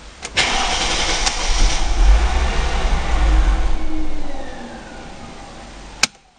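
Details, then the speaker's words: Mercedes W203 C320 petrol: the starter cranks about three beats a second for some four seconds but never catches. It had hesitated, lost power and stalled for three days before; the failed fuel pump was replaced to fix it. "araç çalışmıyor [Müzik] şu anda aracımız çalışmıyor vaziyette"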